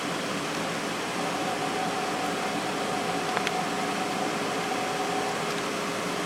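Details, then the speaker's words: GE 8,100 BTU window air conditioner installed in the window and running on low fan with the compressor on, blowing cold air: a smooth, quiet airy rush with a faint hum and no rattles. It is running normally. "This thing is actually pretty quiet on low. When I first started this up when I got it, I thought it was really loud, but when it's in the window it's a lot quieter."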